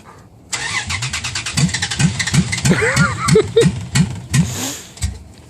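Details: Dodge Ram truck at about 30 degrees, cold start: starter grinds the engine over with a steady rhythmic chug for seconds without firing; prolonged cranking, hard cold start, no cause yet.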